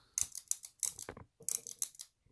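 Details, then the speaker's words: SRAM XO1 trigger shifter after a DIY repair: crisp, sharp ratchet clicks in quick bursts, each clean and positive with no slipping; indexing properly. "You hear it. Proof is in the clicks, y'all."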